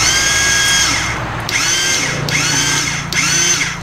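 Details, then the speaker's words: 50cc quad sat unused for years: high, drill-like whirring from the starter in short bursts, engine not turning over or firing; owner suspects the starter is faulty. "I think our starter's kind of messed up. Just banging on a little."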